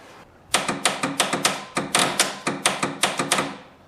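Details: 1954 Ford Skyliner, first start after carburetor rebuild, solenoid just replaced: rapid, uneven clicking several per second with no cranking; the owner thinks the starter is failing.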